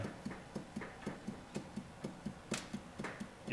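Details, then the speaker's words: 1940s John Deere LA two-cylinder engine block, crankshaft turned by hand during teardown: dull clunk about twice a second at load reversals from main bearing clearance; journals show wear ridge; shims may be removed to tighten. "There's just a little bit of uh clearance in those main bearings."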